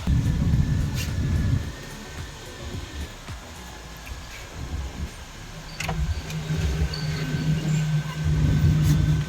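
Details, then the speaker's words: Maruti Suzuki Alto 800 after dashboard removal and AC repair: the engine settles into a steady low hum with the blower running smoothly and no rattles or squeals; very cold air, AC works normally. "ठंडा भी हो रहा है। ठीक है। बहुत ठंडी हवा आ रही है।"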